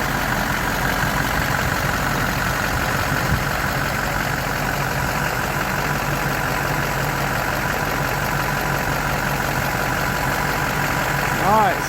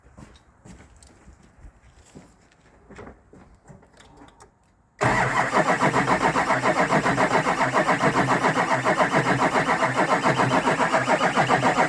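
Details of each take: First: Rebuilt Duramax diesel with swapped injectors and rails, first start after rebuild, before reaching operating temperature: steady even idle with a smooth low rumble, no knocks or misses; engine sounds healthy. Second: Rebuilt Duramax diesel truck with injectors and rails swapped; the fuel system is being hand-pumped to purge air up to the injectors. Steady even cranking at about 3.5 beats a second that never catches: air in the fuel, no start.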